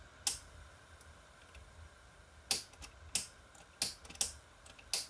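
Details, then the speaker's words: 1000 W GE high-pressure sodium bulb on an undersized 70 W HPS ballast: sharp, irregular dry ignitor ticks about one per second, with no steady hum following; briefly arcs and half lights but struggles to strike. "as you can tell the 70 wat high pressure sonum Bast is having a very hard time trying to strike an arc in this bulb"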